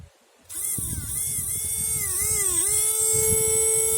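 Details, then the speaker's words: 2001 Chevy Venture windshield washer pump motor, previously stuck and freed up: steady high electric whine spins up smoothly and holds an even pitch; pump now runs freely. "And now, as you can hear it, it's spinning now. So it should be okay."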